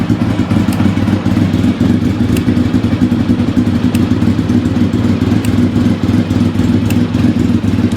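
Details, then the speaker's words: V4 engine stood for about 4 years, started easily, idling on choke: light, fast ticking over a lumpy idle, keeping pace with the engine; source of the tick unknown. "Something's a ticking. I'll have to see what that is. No idea."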